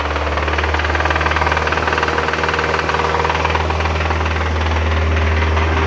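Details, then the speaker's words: Hyundai Sonata 2.4 revved: heavy, regular knocking about three per second; the planned timing chain, valve and guide job is likely not enough, and the mechanic suspects the pistons. "Приехала очередная машинка со звуком, со стуком в моторе. Изначально хотели просто поменять цепь ГРМа, клапана, направляйки, но там такой звук ужасный, что, мне кажется, придётся лезть намного глубже, а именно в поршневую."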